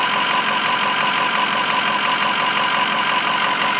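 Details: 2006 Ford 6.0 Powerstroke diesel at idle with steady knock a bit under three times a second, locked to engine speed; engine knock, source unknown.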